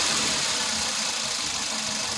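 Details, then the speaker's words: VW Vento petrol engine at idle after replacing a jammed fuel injector: the misfire and check light are gone and it runs evenly and steadily with no stumbles or skipped beats, a healthy smooth normal idle. "कि देख सकते हैं missing पूरा total बंद हो गया, एकदम complete हो गया, परफेक्ट हो गया। इसका इंजेक्टर का प्रॉब्लम था, एक इंजेक्टर जाम था।"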